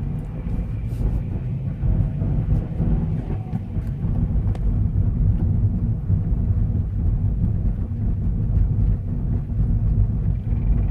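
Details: Scion FR-S engine running: deep steady rumble with brief metallic rattles now and then; rattle source unclear.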